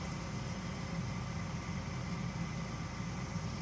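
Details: Furnace inducer motor runs with a smooth, even low hum, no rattle or squeal; unit had overheated and tripped the high limit with a hot motor and a faulty blower capacitor, but the inducer is normal.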